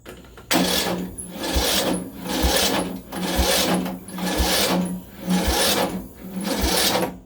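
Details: Craftsman LT1000 lawn tractor cranked with jumper box: slow labored churning about once a second, never catches; crank no start, later runs burning a little oil.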